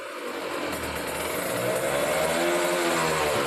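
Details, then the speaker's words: Kawasaki Ninja RR two-stroke, stock engine and original Mikuni 28 carburettor, racing exhaust: revving through 7000–8000 rpm with a slightly muffled, uneven burble instead of a clean scream; mixture deliberately set slightly rich at mid-to-high rpm. "nah tatitu basah ya teman-teman untuk RPM Tengah menengah apa namanya RPM Tengah ke atas atau 7000 sampai 8000 Basah"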